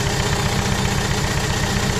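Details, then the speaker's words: Renault Kangoo 1.5 dCi diesel after engine rebuild: uneven, lumpy idle with a regular stumble each cycle. Unplugging the used salvage cylinder-one injector changes nothing, so it is dead and one cylinder is not firing; a bench-tested injector replaces it. "Собрали двигатель, троит. И сейчас снимаем фишку с форсунки первого цилиндра."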